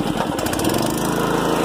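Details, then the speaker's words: Campbell Hausfeld gas air compressor with Honda GX160 engine, likely low hours, sat outside through winter; pops right off with no choke, fast even putter then cuts off cleanly as it reaches pressure; normal start and run; possibly overfilled with oil. "uh coming out today and uh it did it popped right off no choke and then this happened"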